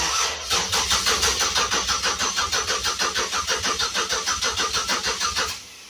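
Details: Project car being wired up, no PCV valve or MAP sensor, battery at 11.9 volts: steady rapid cranking about three beats a second with a few firing puffs, then stops; cranks but doesn't start, spark to be checked.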